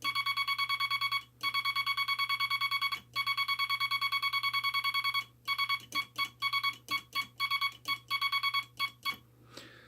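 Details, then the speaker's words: Bug with the dot stabilizer on: crisp, evenly spaced high beeps in quick runs of dots with clean starts and stops; judged to sound much better with the stabilizer than without. "So there you have it, the sound of a dot stabilizer, the sound of a bug. In my humble opinion, it sounds much better with a dot stabilizer on it."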